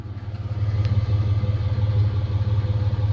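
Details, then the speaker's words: 2002 Toyota 4Runner Sport SR5 V6 4x4 with about 196,000 miles, heard at the exhaust: steady, even idle with no misses or stumbles and no black smudge; normal idle, with only a slight tick that is common on these engines. "Not a bad little vehicle. And to prove that she's running really nice and healthy, there's no black smudge or nothing. She's a very good, healthy vehicle."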